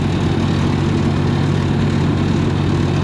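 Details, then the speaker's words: 292 Chevy inline six gasoline engine on a 703 UniSystem power unit with straight pipe, no muffler: loud, constant deep idle drone; owner thinks timing is set a little off, leaving fuel burning as exhaust valve opens, making it louder. "I think we have our timing set a little early. As you slow the timing down, it sends spark later, and then so some of the gas is still burning as it comes out the exhaust when the valve opens, and that makes it louder."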